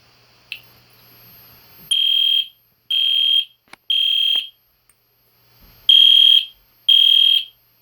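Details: EST Genesis horn strobe fire alarm set off again on test, indoors late at night: loud high-pitched half-second horn blasts about once a second, like a higher-pitched Spectre alert; normal alarm horn operation.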